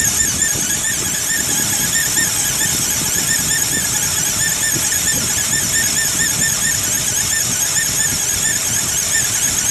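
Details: 2008 Ford Explorer XLT IronMan Edition, cold: loud steady high-pitched squeal at idle from the accessory drive despite new belt, tensioner and pulley; A/C compressor ruled out, owner suspects fan clutch; engine squeal when cold.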